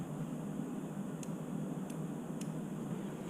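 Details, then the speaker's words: Relay on a CBR600RR-engined off-road go-kart with factory Chinese wiring, mic near the disassembled run/stop toggle switch; three or four crisp clicks about half a second apart over a quiet hum as the relay pulls in properly each time the switch is flipped. "can hear the relay actually being triggered now if I plug these wires right here into that and then I hit the toggle switch nothing happens"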